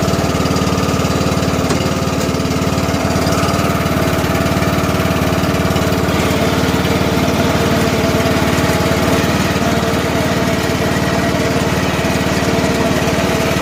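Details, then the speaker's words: About 2010 John Deere LA105, 19.5 hp Briggs & Stratton, 42-inch deck, no air filter fitted, just choked, in second gear: even, steady single-cylinder drone with no misses, running smoothly. "First time I'll hear the belt or the blades go. Second gear. Running nicely."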